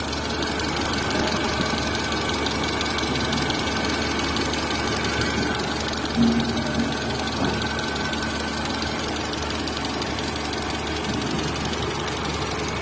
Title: TATA Zest Engine Cam shaft Noise | Engine Noise Problem | Zest Car Engine sound problem | #carengine